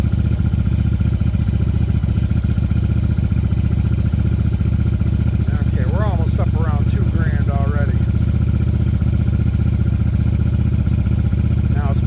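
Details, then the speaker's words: 1994 Yamaha Virago 750 chopper, idle screw fully backed off yet a steady fast idle that won't settle; owner wonders if Seafoam is making it lean but doubts it, else carbs need work. "it's possible that uh the amount of seafoam I have in there is throwing off you know the way it's running it might be acting a little lean and that might be why it's one of the higher RPMs"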